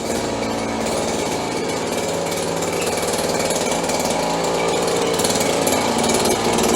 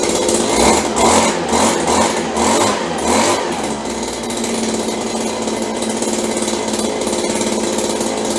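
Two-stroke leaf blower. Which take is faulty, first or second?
second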